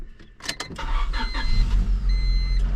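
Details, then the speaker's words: 1997 Honda Civic EK hatchback, 27 years old, manual: a couple of clicks, a brief crank, then it catches at once and settles into a steady low idle, clutch not yet let out; fires right up, normal start. "fires right up purves like a kitten"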